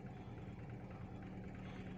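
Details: Toyota EFI petrol engine with a rough-start and missing problem, after a small correction and part replacement: steady, even low hum with constant pitch and no stumbles or knocks. It idles smoothly.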